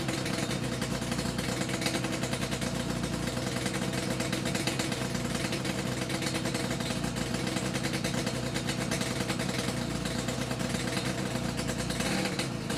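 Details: Yamaha RD350YPVS F2 two-stroke twin freshly rebuilt (all bearings, seals, rebore); plugs were loose on first run. Crisp, even crackle with steady revving, no knocks or rattles. Normal revving, quiet and healthy.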